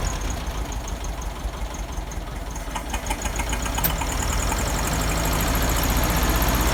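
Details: 1971 VW Beetle air-cooled flat-four with cleaned reproduction Kafer 34 PICT-3 carburetor replacing a 30/31 PICT, just started and still partly choked: uneven, lumpy, surging idle; carburetor needs adjustment, heavier spring fitted, no fuel leaks.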